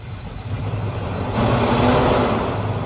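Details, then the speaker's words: 1968 Chrysler Town and Country wagon, 440ci big-block V8, running after the fuel system was redone with a used pump: uneven loping idle with a brief rev rise; still misfiring, a vacuum leak guessed, timing at 0. "Still has a miss. Does it have a big vacuum leak?"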